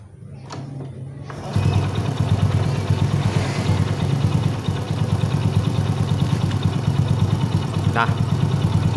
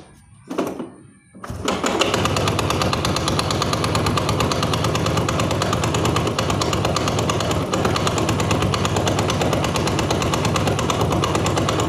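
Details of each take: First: Honda Astrea Grand after repair (loose magneto nut and a leftover bolt inside the magneto caused loud klotok knocking): after a brief kick-start crank it settles into a smooth, even idle with no knocking; healthy. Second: Honda Astrea Grand motorcycle engine running with harsh fast metallic clatter, caused by a loose flywheel (magneto) retaining nut and a bolt likely left inside the magneto by a previous shop; smooth after fixing.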